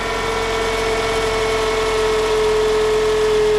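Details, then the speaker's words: 2010 Toyota Camry idling before alternator replacement; steady unwavering mid-pitched whine over idle, with a burnt plastic, metal and rubber smell — failing alternator whine, to be replaced. "it also smells like burnt plastic and metal and rubber and cats and dogs so we're going to go ahead and replace it"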